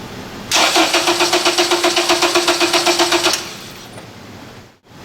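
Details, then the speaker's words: Acura TSX cranks evenly, about four beats a second, for three seconds but never fires after a clutch job; no spark or injector pulse. "We don't have any spark or injector pulse."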